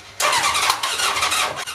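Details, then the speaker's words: 1980 Honda CB750C engine cranking after a cylinder was cleared. It fires into a short ragged burst for about half a second, then fades without running; improved from before, cause not yet confirmed. "I mean I actually heard this thing someone make a room noise like if fired and it ran for like literally have a second but that is improvement definitely from last video"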